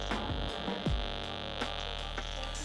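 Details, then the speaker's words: R9M (pre-2019) RF module at 1 watt with new antenna, after drone twitching issue: steady electronic hum with faint pulsing buzz, no crackling or dropouts; normal RF module hum. "so we'll see if we hear static coming out of here because it should be in one watt mode yep that's exactly what it should sound"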